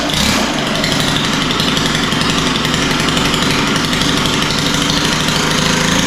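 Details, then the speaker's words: Stihl FS91R four-stroke line trimmer that starts but won't take throttle: fast, steady buzzing idle with a heavy, blubbery edge. It seems to idle rich, and idle speed had to be raised; the low-speed adjustment is being tuned. "it sounds to me like it's idling a little bit too rich and it was I had to speed the idle up which is another sign that's idling too rich"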